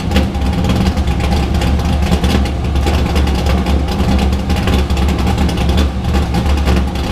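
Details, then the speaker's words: Drift car started after being rebuilt and primed; at its first startup the owner said it didn't sound like it normally does, and it later hesitated pulling away. Loud, lumpy idle with an uneven pulse and slight hunting; rough running. "but this sounded off to me it was just like i didn't sound right like typical how my car sounds"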